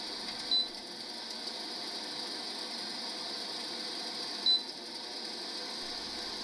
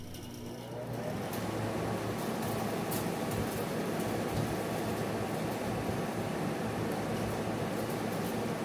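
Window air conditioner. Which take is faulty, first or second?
first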